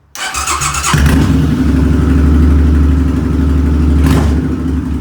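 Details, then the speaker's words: Motorcycle not started for about a year, possibly low on oil, fuel-injected: brief cranking, then it catches at once and settles into a steady even beat, starting surprisingly well. "wow i actually started out pretty good kind of surprised"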